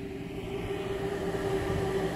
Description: Here is a short video of the blower fan in operation. As you can see the adjustment screw does not adjust the speed of the fan.